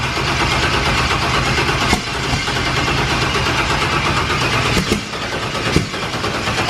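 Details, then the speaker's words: Turbo Firebird running E85, first start attempt: battery at top post only about 8.5–9 volts while cranking, sluggish uneven turning-over with rough catches and no clean start; slow cranking from low battery voltage. "all right it top post because while it was rolling over it was only at like eight and a half volts maybe nine and it was just rolling over super super slow"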